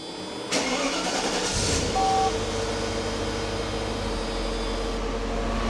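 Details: Mercedes 500E petrol V8 cranks briefly, catches and settles into a steady, even idle, running smooth after a maintenance refresh; test module fitted, relay not clicking, so owner concludes it needs an LH module.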